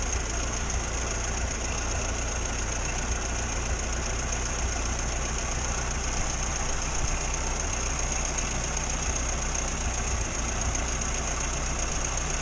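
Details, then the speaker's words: 1962 Morris Minor with suspected ignition fault, after moving wiring and cleaning the distributor cap: steady, even idle with no stumbles or misfiring for now. "Well, as we know, everything's alright in a minute. There's been no misfiring."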